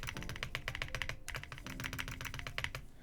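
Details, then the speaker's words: Heracles80 keyboard build with PC hotswap plate, Azure Dragon V2 switches, case and plate foams and Wuque Studio 1.2mm stabilizers: fast, muffled, dull keystrokes with a loose clack. It is overly damped, and the space bar stabilizer still rattles. "you can still hear the rattle but the dampening is like way too much that's so funny"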